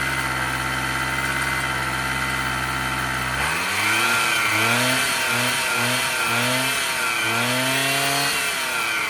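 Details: 1986 Honda Spree two-stroke scooter: buzzy steady idle that rises and falls cleanly with throttle blips without stumbling; normal running.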